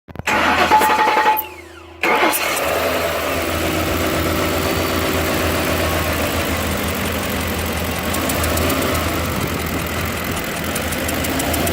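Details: 2007 Ford Expedition: engine runs with low hum and a wavering, droning tone; noise absent in Park, starts when shifted into Drive, definitely from driver side; source unidentified.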